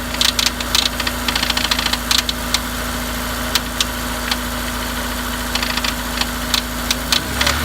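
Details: Honda S2000 F20C at idle, with a new OEM timing chain tensioner and rod bearings, thrust bearing, head, cams and retainers checked OK: sharp, fast, somewhat uneven tick on top; the cause is unknown.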